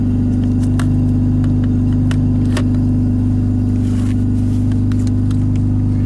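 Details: Mazda RX-7 FD3S rotary, cold, idling about 1500 rpm and very rich (10.5 AFR) on AEM UEGO wideband; Apexi AFC Neo leaned about -6 to -8: fast choppy idle with deep drone firms up and evens out as AFR rises toward 11.4; rich idle mixture.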